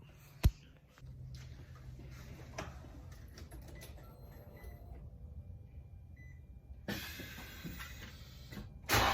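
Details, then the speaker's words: Infiniti G35 coupe cold start after fixing an exhaust leak: catches into a low steady idle then revs sharply and cleanly with no ticking or puffing; exhaust sounds sealed. "I'll give you guys that quick cold start right now and I'll catch you guys in the next video peace out"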